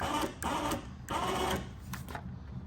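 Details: OPENROAD 3500 lb winch newly installed on a Honda Foreman 400/450, key on, powering out: short bursts of steady motor whirring that start and stop cleanly, no grinding or straining; winch runs fine.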